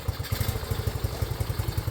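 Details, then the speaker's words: Restored Honda CT90, started with a choke procedure and one kick, fuel mixture screw not yet adjusted: quick, even single-cylinder thumps, about a dozen per second, no misses or rattles; purrs like a kitten at a steady idle. "purrs like a kitten."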